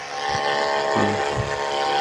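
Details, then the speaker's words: Mini 12 V DC booster pump package (about 4–5 LPM) with added on/off switch: steady electric hum with a faint whine continues with the outlet tap closed at the far end; pump keeps running instead of switching off. "ini akan lebih bagus kalau pakai saklar karena kan misalnya nggak dipakai bisa dimatikan nah tuh seperti itu airnya dimatikan di sininya kalau air dimatikan di ujung sini tetep nyala terus"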